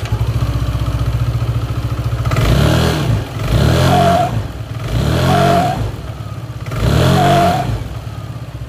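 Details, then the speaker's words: Yamaha Aerox 155 scooter, not yet serviced. Revving in bursts brings a wavering, animal-like cry from the CVT belt drive. It appears when accelerating again after a speed bump or after hard braking from speed. The cause is not yet known. "Oh ya suara ini timbul pada saat kita habis lewat polisi tidur ya ataupun habis jalan kenceng ngerem kemudian kita gas lagi maka keluarlah suara seperti itu"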